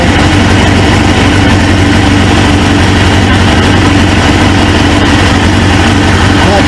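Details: 1999 Suzuki GSX-R 750 with a replacement used engine, first start after install, checked for a fuel-line O-ring leak: fires straight up and settles into a steady, even idle with a smooth low rumble, no misses or stumbles; sounds healthy.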